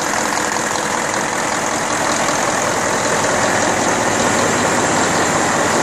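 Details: Deutz 1015 diesel after overhaul, Pucallpa, Peru: steady, even drone at constant speed with no knocking, misfire or rattle; healthy running.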